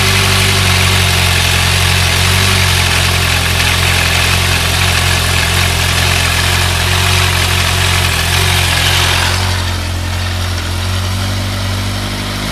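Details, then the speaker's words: Thunderace motorcycle finally running after hours of work (carb cleaner sprayed, plug spark checked): smooth, even idle with a steady low beat, no misfire or knocking; normal idle. "after the several hours of about i'm actually getting it going a bit sounds all right now"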